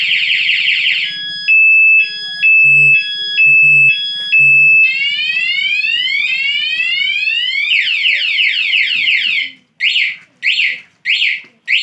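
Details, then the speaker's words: Aftermarket remote security alarm installed on a Honda CG 125 self-start motorcycle, speaker under the mudguard: locked bike touched sets off a loud shrill siren cycling through warbles, rising sweeps and chirp bursts. "तो जब भी हम या कोई भी बंदा इसको हाथ या टच करेगा तो ये आवाज़ करेगी और आपको बताएगी कि ये किस तरह या कोई किसी बंदे ने टच किया।"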